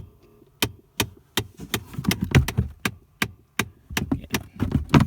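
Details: 2015 Ford Fiesta ST passenger-side blend door actuator with broken plastic gear teeth, heard behind the glove box when the car is started or turned off: sharp, uneven loud clicks and taps behind the dash.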